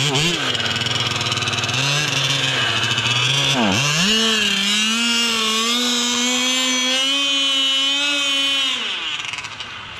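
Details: Losi 5T RC car with 34cc Zenoah gas engine, pump gas: buzzy two-stroke hunts and sags, pitch dipping and surging instead of holding steady revs; running poorly, cause unknown; center diff also seen leaking.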